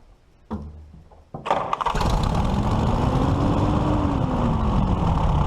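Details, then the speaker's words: 1941 Case SC tractor after bending the governor-to-carburetor rod: after a few cranks it catches, then revs climb steadily without pulling back; the throttle creeps to wide open, so a governor internal fault is suspected, governor to be removed. "see it wants to pull itself wide open and it shouldn't be doing that it's just fight to go to Idyllwild something something inside the governor's own work"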